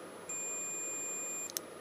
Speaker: so this will check that the circuit completes and there you go you can hear the buzz which means it's making a circuit when that is pressed